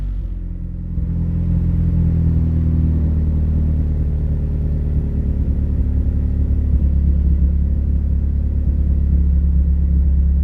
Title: damn car has a misfire now... ughhhh now i have to rip it apart n diagnose this damn thing